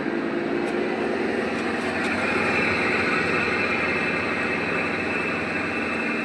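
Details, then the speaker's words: LG top-load washing machine with the customer complaint of excessive noise while running: a loud, steady rushing roar with no distinct knocks. The cause is the clutch, which water has leaked into and rusted all over its outside. "இதுதான் அந்த சவுண்டுக்கான காரணம் இதுதான் clutch என்று சொல்லுவோம்."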